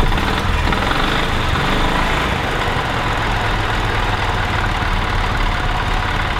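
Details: 1985 Club Car DS gas golf cart single-cylinder engine after carburetor cleaning fixed crank/barely-start-then-die fault, airbox being reinstalled: steady, even chug with no misses or stumbles; running cleanly.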